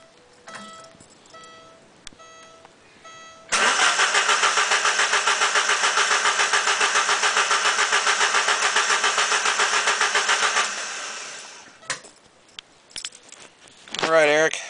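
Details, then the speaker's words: 1989 Alfa Romeo Spider with new ignition wires and plugs, spark confirmed on all cylinders: starter spins steadily at about 3.5 even pulses per second for seven seconds but never fires; crank no start, owner suspects fuel pump or relay fuse. "maybe you can hear from the sound of the engine cranking about uh what might be wrong or what you think I guessing it might be a fuel issue"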